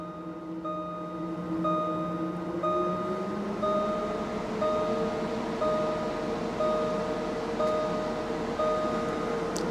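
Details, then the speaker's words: Jaguar XK engine cooling fan commanded to 100% speed through a Launch Creader Elite V2.0 JLR scan tool; steady whirring hum climbs in pitch then holds smooth and even, confirming circuit and fan motor work; normal cooling fan at full speed. "So the system has made the cooling fan come on. So I know the circuit's okay, I know the fan motor's okay. Let's put it on 100%, see how loud it gets."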